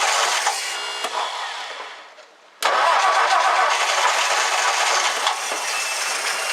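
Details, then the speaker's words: 1964 Ford F100 fed from a gallon gas can via fuel pump inlet: quick start into steady even idle, no misfire or knock; oil pressure light off, oil flowing up top, no leaks below. "the oil pressure light is off so that's good news it sounds awesome"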